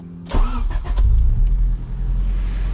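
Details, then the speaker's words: Turbocharged car just fitted with a cheap eBay oil catch can, started up: engine cranks, catches cleanly and settles into a steady, even low idle with no knocks or misses; slight steam and smoke deemed normal; healthy start. "right, it's sounding pretty good."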